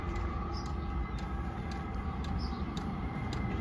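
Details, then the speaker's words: Diesel heater, roughly 2 to 5 kW, in garage, running on low speed after power-on by remote: soft steady burner rush with light pump clicks about twice a second; normal running, no smoke at all. "running on low speed now [Music] hear the clicking yeah no no smoke at all"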